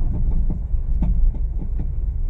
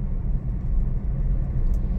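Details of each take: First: Honda Mobilio before repair, driven on a rough village road, since the noise does not occur on smooth roads. Loud, irregular hollow clunks and knocks come with each bump and are heard in the cabin. A loose stabilizer link is suspected, not confirmed. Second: Honda Mobilio on asphalt, rolling over a bridge joint. Only a steady low road rumble is heard, with no clunks or rattles. The suspension is quiet.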